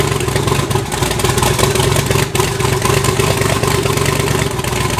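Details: Twin-turbo V8 Pontiac G8 after head gasket replacement, new wiring and new coils, fitted to cure a misfire under boost: steady, even idle with a smooth low rumble and no misfire stumble or ticking. Normal idle.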